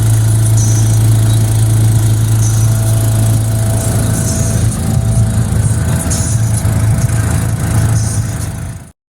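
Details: 2001 Bayliner Capri boat engine running: low steady rumble with faint rapid puffing beat; exhaust leak suspected, not confirmed.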